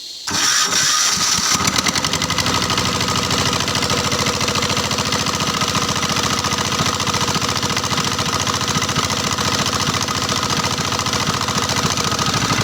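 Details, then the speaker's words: Single-cylinder 186F diesel with electric starter wired via two-contact key switch, battery N40: short crank, fires straight away, steady chug about three and a half beats per second; normal start and idle. "kalau kita Taruh dia ininya naik secara otomatis mesin langsung nyala"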